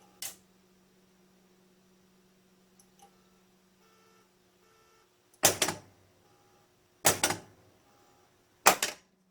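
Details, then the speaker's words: Harlem Globetrotters pinball machine, solenoid test before disconnecting the playfield switch strobe connector: sharp isolated clacks about every second and a half with faint beeps between; test still failing, not cycling properly. "okay so the test still is not running so I'm going to disconnect"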